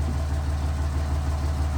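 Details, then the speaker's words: Cummins diesel truck at idle after replacing fuel pressure sensor and removing thread tape from its port: low, even, smooth rumble with good fuel pressure and less smoke; oil pressure sender still faulty. "So as you guys can hear, she is running smooth."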